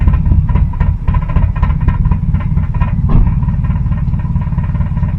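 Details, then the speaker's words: 2001 Honda Civic EJ9 with a D-series engine, last run in December 2018, just restarted on fresh fuel: a deep, steady burble with an even pulse and no misses or knocks. Normal idle. "hey that'll do what it first go straight away no messing"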